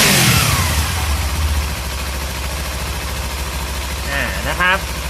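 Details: Kawasaki Z300 twin in neutral, started after a spark plug change: a brief blip after start-up, then a low, steady, even beat with no knocks or rattles; running fine.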